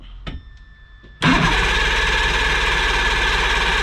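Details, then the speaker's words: Johnson 90hp outboard with spark present: the starter spins it at a steady, slow chug with a whirring whine but it never fires; the ignition power pack had failed. "So, we have spark. But, it's not running. It's not firing over."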